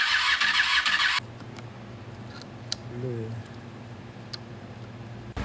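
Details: 2001 Honda VFR800FI (Gen 5) revived after restoration, coolant refilled with water: burst of cranking, then it catches and holds a low, even idle; normal start, engine sounds really good.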